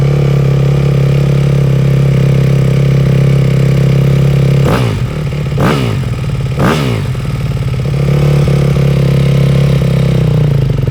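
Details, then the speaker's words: Rebuilt 2008 Yamaha YZ250F four-stroke at first start-up, choke off, warming up: steady idle with light rattling tick and louder clattering bursts; suspected cam chain tensioner issue, not confirmed, engine pulled to investigate. "he said hey can't guarantee it you need to investigate but it sounds like a chain tensioner issue"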